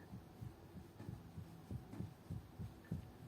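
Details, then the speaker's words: Opel Astra H steering shaft rocked by hand: dull, low, uneven thuds, about a hundred a minute, and a knock felt in the steering wheel over speed bumps and asphalt joints; play in the steering shaft suspected, not confirmed. "вот еще почему посмотрела на кардан потому что при переезде лежачих прям в руль отдает хорошенько так и такой штук идет"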